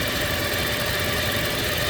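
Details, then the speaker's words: 2007 Toyota 2.7 engine after reinstall, idling: constant thin high-pitched whine like a wind whistle over smooth idle, not from drive belt area, loudest around oil filter housing but not the oil filter; source not pinpointed. "It almost sounds like a wind whistle, but I can't pinpoint where it's coming from."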